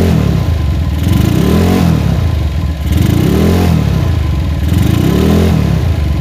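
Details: GL motorcycle with open (brong) exhaust, carburettor not yet adjusted: loud idle with light clatter, surging up and down about every two seconds as the engine warms; unstable idle, also rattles when hot, cause under investigation.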